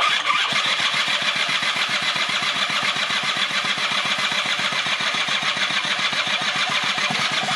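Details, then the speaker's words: 1996 Rexy 50 two-stroke scooter barn find, oil-laden, run without the carburetor: crisp, high-pitched two-stroke buzz revving freely with quick even firing; the engine itself is fine, and the carburetor is to be cleaned next. "ja al das funktioniert also der Motor an sich ist in Ordnung"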